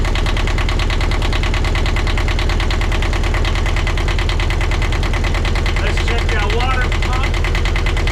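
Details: 1982 Catalina 30 marine diesel after replacing the blocked exhaust manifold, refitting thermostat and water pump: steady idle with an even rhythmic chug and consistent loudness; normal idle.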